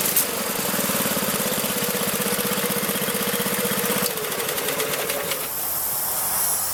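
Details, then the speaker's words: 1983-or-older Briggs & Stratton single-cylinder engine on a Magna air compressor, sat 5 years: chugging steadily about four beats a second, even firing with no misses or knocks; runs healthy, reaches 100 psi. "guys it runs awesome gets up to 100 psi"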